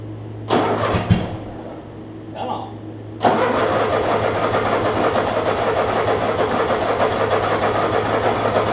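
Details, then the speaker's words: Troy-Bilt Mustang 50-inch zero-turn mower whose muffler fell off: cranks a couple of times, catches, then a harsh, raspy twin-cylinder idle far too loud without the muffler. "so while I'm here let's Crank It Up see how loud it is like I said these mowers for some reason are loud regardless it's like my dad had a Cub Cadet like this and it was loud from day one"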